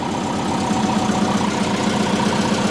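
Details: Built turbo Subaru Forester after fitting a new fitting for an oil leak and refilling oil: steady, even idle with a smooth firing beat and no knocks, ticks or stumbles; engine running healthy.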